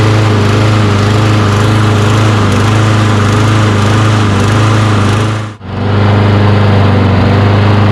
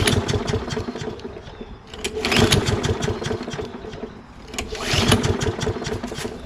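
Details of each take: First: Toro Recycler mower with Kohler XT675 engine, hot, running on old fuel treated with fuel injector cleaner after carburetor cleaning: steady constant-speed beat with no surging or misses apart from one brief dip. Normal running, though it still starts hard. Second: Toro Recycler mower with Kohler XT675 engine, hot, after carburetor cleaning, running on old smelly gas: engine hunts and surges with uneven firing; runs but starts hard; owner suspects bad gas and imperfect carburetor, new carburetor may fix.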